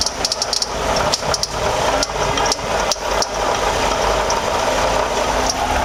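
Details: 2007 Toyota RAV4 V6 idling with uneven rattle and scraping that never settles, pinkish coolant leaking around engine block and pulley; bad water pump bearing.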